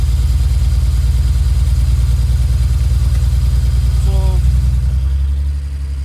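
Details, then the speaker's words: BMW 335 wagon (E91, N54 engine) idling with a bad misfire; heavy low idle with an uneven stumbling pulse about three times a second, during a coil swap test between cylinders 1 and 2. "we just want to see if a misfire code will fall to cylinder - so as you can hear as you can hear the cries - misfiring"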